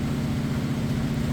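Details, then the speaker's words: Whirlpool Cabrio HE top-load washer at its fastest spin, drain pump extracting water, lid locked: steady even low hum, very little vibration, no thumping; drum balanced and spinning normally. "see there's hardly any vibration though drain pumps kicking on to help extract the water that it's pulling out of the clothes right now all right spinning at its fastest spin you can see very little vibration"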